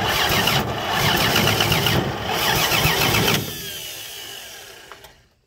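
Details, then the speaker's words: Free 239 3.9-liter V6 first start, fuel poured into carb via homemade adapter; steady cranking about three turns a second never catches and winds down; ignition timing set with too much advance, to be backed off. "okay got too much advance there don't i let's go back a little bit way too"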